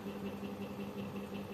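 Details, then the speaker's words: Vacuum machine for servicing printer heads and cartridges, upgraded box cleaner, run at low power with unserviced nozzles capped: soft steady low hum with gentle pulsing about five times a second, slow even running; normal pump operation during head cleaning. "ini pelan ya powernya kecil tapi tetap jalan ya seperti itu proses pembersihan head ya"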